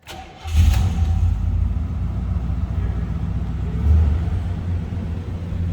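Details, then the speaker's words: 1987 Oldsmobile Cutlass Supreme with 5.0-liter (307) V8, about 67,405 miles shown: short crank, fires right up and settles into a steady, even rumbling idle; healthy cold start. "hear this run oh Rumble coming in at 307."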